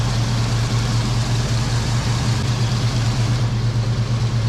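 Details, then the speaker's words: Foxbody Mustang 5.0 V8 after dealing with a dirty EGR valve that caused a rough, surging idle: steady, even idle with a deep constant burble and no hunting; normal idle. "far so good no surges [Music] the idle sounds so much better I'm gonna guess that that EGR valve was my issue"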